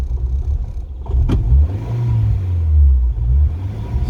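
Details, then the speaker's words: 2000 Ford Fiesta MK4, 1.3L 60hp Endura, throttle position sensor reconnected. With the throttle held steady, the revs swell and sag in slow waves, surging yo-yo instead of holding. "je maintiens accéléré, ça joue au yoyo."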